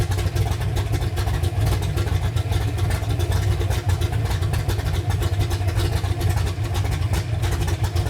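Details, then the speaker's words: Freshly built 331 engine in a Ford Ranger on first start, big cam, running very rich while the computer learns: deep, choppy, lumpy idle with uneven heavy pulses that never smooth out. "that is a rowdy cam it's running super rich right now we got to give the computer a little bit of time to figure it out"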